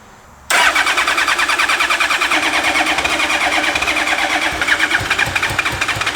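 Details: Rare 2000 Honda Blackbird with only 1,600 miles, cranked after new spark plugs: fast, steady starter whirr with rapid, even compression pulses that never catch. It cranks but does not start.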